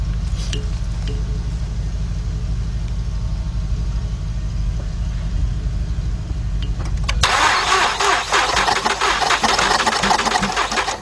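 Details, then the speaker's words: 2006 Mazda 6 from auction that cranks but won't start, during a compression test on the first cylinder with the throttle held wide open. Cranking is even and unlabored at about three turns a second with no compression pulses; no compression, and timing chain movement is suspected. "huh that wasn't good got nothing so let's un hook this and go to a new [Music] cylinder"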